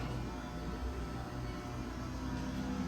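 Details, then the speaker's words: Aldonex 3P-218-30 air-cooled rectifier, 300 A, 0-18 V, 220 V 3-phase input, Variac control, tested in very good condition, running powered up: steady low hum with soft even fan whoosh, no rattles or surging; normal, nice quiet machine. "nice quiet machine."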